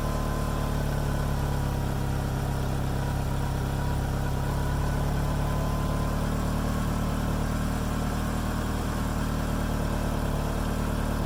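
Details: 2G DSM idling steadily and evenly with constant pitch and no misses, first start after fuel filter replacement and fuel pump reconnection; running normally.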